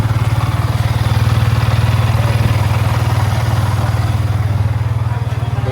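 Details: Yamaha R15 V3 after its broken magneto magnet with failed rivets was replaced with a new one, idling in neutral: an even, steady, low, smooth idle pulse about four beats a second with no rattle or clatter.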